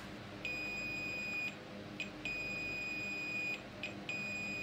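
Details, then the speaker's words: Sharp 4T-C42DK1I smart TV (only red standby LED lights, won't turn on, standby voltage measured under 1 V): multimeter continuity test on the mainboard USB line gives a solid high beep about a second per probe touch, indicating a short circuit. "Nah, ini di jalur USB ini juga bermasalah"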